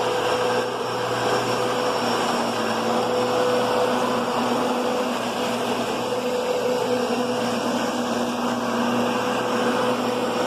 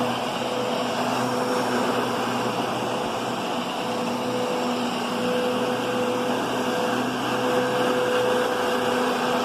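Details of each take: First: Kenmore Progressive vacuum: a loud steady roar with a whirring hum from the brushroll. The brushroll seems to be skimming the top of the carpet or not making proper contact, giving a noisy brushroll. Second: Kenmore Progressive upright vacuum with a new bag, set low on carpet: steady motor hum and soft brushing rush, large brush roll making good contact, no rattles or grinding; normal.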